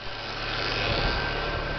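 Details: Renault Clio 1.6 16V after a new accessory belt was fitted to cure a noise suspected from the alternator pulley, tensioner bearing or water pump: smooth, even idle with no chirp, squeal or rattle; noise resolved.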